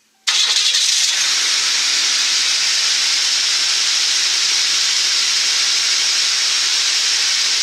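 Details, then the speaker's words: Engine in a Ford F100 being fitted with a Boss 302, test-fired after water pump removal and installing a new serpentine belt: starts promptly and runs evenly; the previous squeaky belt noise is gone. "Squeaky noise that the other one was making is not there anymore."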